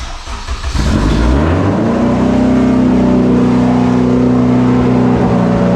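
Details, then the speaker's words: AWD Civic Type R build with new intercooler piping, started briefly after rewiring with the cooling system unfinished: catches within a second, rises, then settles into a smooth, steady high idle with an even tone; normal running. "well boys somehow the car still runs after all of our wiring Shenanigans fired right up no issues"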